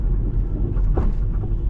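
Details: Slammed Audi A3 on test drive after scuttle panel work, bump stop in poor state: over deep road rumble, a few dull thuds as the car rides a bump; suspension knock, cause suspected, not confirmed.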